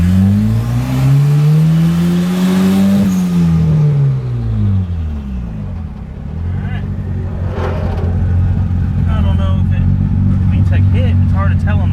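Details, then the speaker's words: Turbocharged Honda Accord F23 engine, after VTEC was wired to the ECU: the engine note climbs hard for three seconds, then settles into a steady drone; pulls much better at only 7 psi boost, so VTEC is now working. "oh yeah it's definitely hitting now it's pulling a lot better and that was only seven pounds so we definitely got v-tech now guys"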